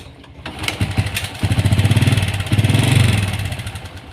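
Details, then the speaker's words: Honda Kharisma motorcycle, hard to start and sputtering, carburetor already cleaned: with the crankcase hose fitted it pulls fuel instead of air, running too rich, so the engine chugs unevenly, stumbles and misfires at idle. "terjadi ketika selang ini dipasangkan ya kendaraan itu susah langsam"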